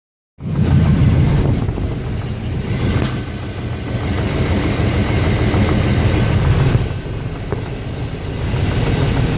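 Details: 350 V8 running with a steady low knock, about four per second, over the exhaust; suspected rod knock in the bottom end, unconfirmed.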